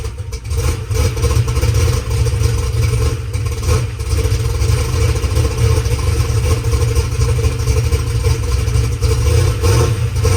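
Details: Methanol drag race car V8 after sitting two weeks: loud deep steady lumpy idle with light rocker arm clatter, a little noisy but not terrible; no exhaust leaks felt or heard, engine healthy.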